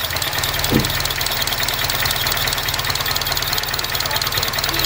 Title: 05 RSX Rough Idle